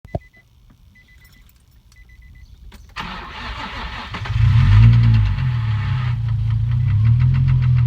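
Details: 2004 Infiniti G35 with rough idle: engine starts and settles into an uneven idle with a steady knock, roughly three or four a second, under the engine rumble; rod knock suspected, not confirmed.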